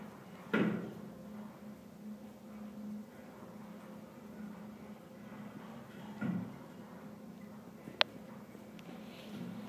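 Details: Condenser water loop with cooling tower, pumps suspected of sucking air or cavitating and causing surging/stalling: two dull thumps seconds apart over steady pump hum as the nearby sprinkler pipe bangs in the ceiling.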